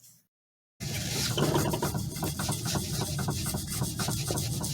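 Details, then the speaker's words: Clunk heard while driving traced under the vehicle: rapid dull clunking and scraping three or four times a second as the steering rack shaft is rocked by hand, wobbling with much internal play; bad rack and pinion confirmed. "It's a big clunk. Definitely this is a bad rack and pinion. I just confirmed that it's a bad steering rack."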